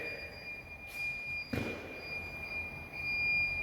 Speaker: my alarm now won't shut up. Put the engineer code in and it just started going apeshit.